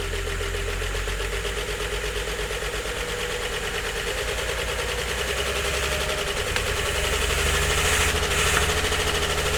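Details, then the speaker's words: 1951 Chevrolet Fleetline after correcting swapped plug leads, makeshift air-only carburetor held slightly open by a tie wrap: uneven, lumpy idle with stumbling beat and loose pulses growing louder as it picks up; misfiring, nearly on six cylinders. "trying anyway. Nearly on on six. Wow. Well, it runs sort of."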